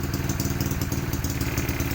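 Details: Tuned motorcycle with 59 bore, TaxCam #8, ported head, 32mm throttle body, 120cc injector, reflashed ECU, cold start: quick slightly lumpy single-cylinder patter, steady with no misses; idles evenly.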